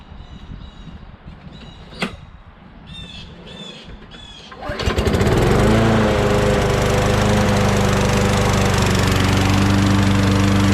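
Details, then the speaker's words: Mower picked up on a tip, which first ran on sprayed carb cleaner and then had gas added, stays quiet a few seconds, then catches and settles into a steady, even buzz with no misses; it's a working machine, missing its bagger. "this thing runs too i mean it's just missing the bagger and i don't know if the keystart looks or anything like that but uh it's a working machine too awesome"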